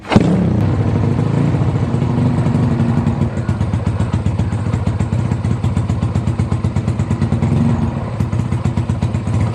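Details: Yamaha Jupiter Z bored-up engine used daily, fresh oil, new spark plug and fuel: loud, even popping exhaust beat steady through light revs, no knocks or rattles; normal running.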